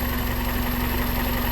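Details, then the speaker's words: 2001 Toyota Corolla 1.8, scanner graphing all four cylinders: smooth even idle, steady low hum, no stumbles or skips; running healthy. "no hay ningún problema hasta ahorita verdad Ahí está se una belleza el motor"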